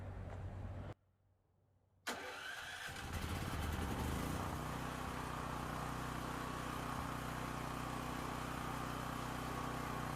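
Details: Used dual-fuel (propane or gas) generator bought with a dead battery, start switch tested: short crank, then the small engine catches and settles into a steady, even drone with no stumbling; starts and runs normally.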